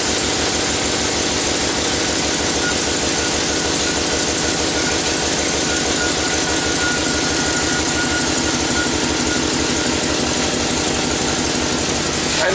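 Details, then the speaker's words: 6.0 V8 Chevrolet Silverado after water pump replacement, idling while burping the cooling system: fast sharp ticking puff over the exhaust note, steady at idle; exhaust manifold leak. "I can hear it. I got an exhaust leak. It's from the manifolds."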